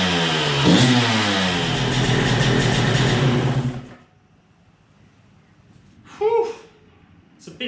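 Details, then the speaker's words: Suzuki RM125 two-stroke first run after full rebuild, new spark plug: crackles and revs up crisply for a few seconds, holding steady without stumbling. Running normally. "but it does start i was worried for a little while there but it starts and it runs"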